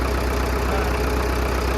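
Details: 1937 Caterpillar RD4 crawler tractor/dozer, started after sitting over a month or two; deep steady even low thrum, no rattles or misses; normal idle.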